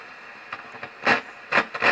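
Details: Super Reverb AB763 tube guitar amp with chassis slid back in for testing: irregular scratchy crackle bursts over a steady hiss, still crackling.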